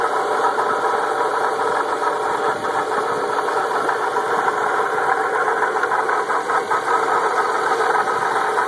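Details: Audi S4 running with a busy, fast metallic rattle over a steady drone. At first constant, later only above about 2500 rpm, stopping after two weeks. Owner suspects pulley bearings, camshaft, crankshaft or turbo bearings.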